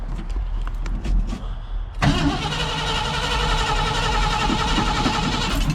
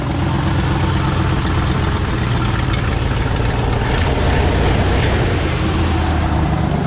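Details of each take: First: 1968 Ford F100 with ignition problem, cranked by key with gas double-pumped: starter grinds steadily several seconds without engine catching; crank no start, owner suspects bad coil or jumped timing. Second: 1968 Ford F100 V8 idling after its ignition problem was traced to the coil and fixed; a deep, steady rumble with no misses or stumbles, running again.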